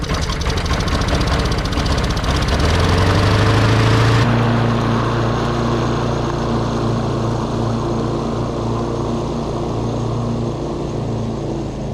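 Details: Free roadside John Deere JS40 mower, first run with carb reinstalled and fuel fed directly, before button-up: single-cylinder engine revs up, then holds a steady, even hum with no misfires or knocks; runs healthy.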